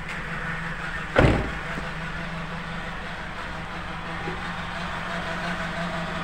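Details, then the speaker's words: Nissan X-Trail T31 CVT filled with the wrong transmission fluid: after a knock, a steady low whine in D while the car has no power and barely moves; CVT whine from wrong fluid, engine also slightly rough. "Tidak ada tenaga tapi terdengar suara seperti ini ya dengengar suara seperti itu ng seperti itu ya"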